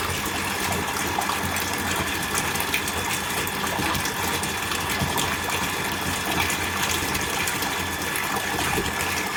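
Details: Orient self-priming water pump with aluminium winding and frame, full-load test recirculating water, about 6 ft suction and 20 ft delivery; steady even motor hum under constant water rush, no knocking or scraping; running normally under full load.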